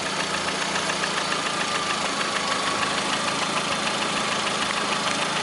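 Fast, fairly even tapping rides on top of the engine's busy mid-pitched running; a knock in the engine, cause not yet pinned down.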